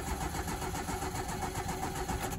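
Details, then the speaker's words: Vehicle sitting about 20–30 years, oil and coolant checked, in neutral on a fresh battery: steady even cranking for a couple of seconds without firing; turns over but won't start, later narrowed to the fuel pump. "it does turn over well it turned over"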